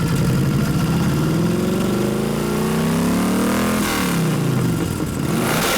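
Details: 1989 Harley FLST Softail with aftermarket 93ci panhead stroker conversion (3-5/8" bore x 4-1/2" stroke) during tune-up: big twin revving unevenly, beat stumbling and sagging as one cylinder drops out, then recovering; intermittent misfire, ignition suspected, not confirmed.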